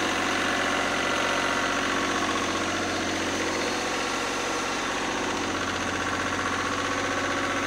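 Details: Lister #2 diesel generator just after fuel system plumbing from a former 20-gallon dry-sump oil tank, leak-check run (no drips): steady, even knock at about four beats a second, no stumbles or surging; smooth, healthy idle.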